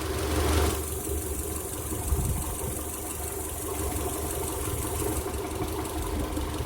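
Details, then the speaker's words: 2000 Honda Odyssey after driving through 3 feet of floodwater, barely cranks and won't start; spark plugs and coils out, fuel cut: starter spins the engine with a hollow airy whoosh as water is blown from the plug holes. "I'm still seeing sprays of stuff and checking the odor of what gets sprayed out of my glove. I don't think I'm smelling any gas off of it, so I'm pretty sure that what it is expelling is water."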